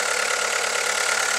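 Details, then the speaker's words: VW Lupo 1.4 16-valve petrol after replacing a faulty pencil coil pack that caused misfire and flashing check engine light: steady, even hiss-like idle hum, no stumbles, running sweet; normal idle. "so start her up hopefully it'll run a lot better and there she is running sweet as a nut"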